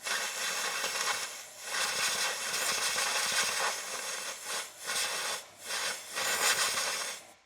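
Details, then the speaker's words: 1954 International R110 pickup, parked since 1968 and not running, with air blown into a cylinder: repeated rushing hiss as the air escapes back through an open intake valve. "See what's coming out back there. I'm guessing the intake is open or the exhaust. Probably the intake. And it's going through the intake blowing out that cylinder cuz the intake valve is open on that one."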